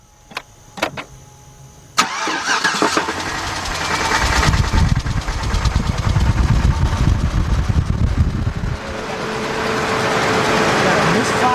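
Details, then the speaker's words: 2006 GMC Envoy XL Denali 5.3L V8 started and running: heavy, deep knock closely mimicking rod knock; caused by loose flexplate-to-torque-converter bolts. "customers complete here's a lot of noise coming from from your engine so we're going to check it out"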